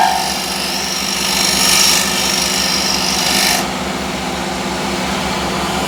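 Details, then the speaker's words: Sharpened negative scraper used straight from the grinder on wood spinning on the lathe: steady hissing cut with light rhythmic rasp and plenty of shavings; clean cut from a sharp edge. "So, now let's see how this works. A lot more shavings flying around. And that's quite obvious."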